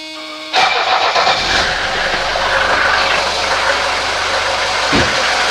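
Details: 1983 Mercedes 240D diesel just after throttle linkage fix and lubrication: turns over briefly, catches cleanly and settles into a steady, even clattering idle with no misses or hunting; test drive afterwards showed about 40-50% more power.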